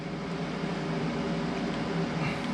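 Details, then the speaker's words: Everlast plasma cutter on a CNC plasma table, before cutting: loud, constant airy drone with a steady hum underneath and no pitch change. Its cooling fan always runs, which is normal for this unit. "now the one the one bad thing about the everlast is that the fan always runs so if you can hear that noise is that thing it's super loud sorry about that"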